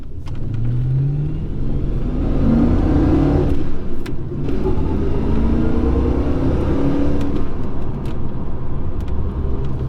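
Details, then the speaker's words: HSV VS Clubsport while driving: low droning hum and vibration from the rear end, rising and falling with road speed. Axles were swapped first; the differential was suspected and its replacement fixed it. "a lot of people seem to think it is the diff that is the problem just from that last clip I sent it out to a couple of friends and the"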